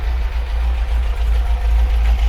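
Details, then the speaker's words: 1980 MGB four-cylinder after a timing and twin-carb tune, bonnet closed and gas tester removed: a deep, smooth, even idle with a steady low rumble and no misses or rattles. It sounds well tuned. "when you factor in the uh closed bonnet and the fact of the gas tester is removed so it's not making its noise i think it sounded pretty good at that"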